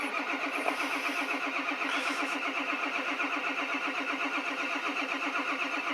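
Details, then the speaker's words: 1999 Ford Super Duty 7.3 diesel with a 1994.5 high-pressure oil pump with check valves, 30 °F, fresh stiff oil, jumped from another truck: slow, labored cranking, about two turns per second, not catching; starter and batteries suspected weak. "so granted the it is you know 30 degrees outside and I just changed north oil to the to some new oil and it's pretty pretty stiff so I think this might take a while so I think my starter and my batteries are pretty weak"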